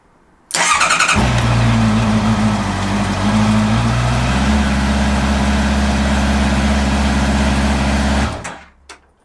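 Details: Honda CB650R motorcycle, after winter on paddock stands and clearing a vehicle speed sensor fault code with an OBD reader: starter whirs briefly, engine catches cleanly and settles into even steady idle, no knocks or misses; healthy.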